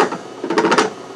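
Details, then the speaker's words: Raise3D Pro2 Plus 3D printer extruder, after a jam and overflow clog and a previous botched repair: short burst of three or four sharp clicks about a tenth of a second apart as it skips and won't extrude; bad wire or driver suspected, unconfirmed. "I can hear it clicking it could be a bad wire I'm not sure"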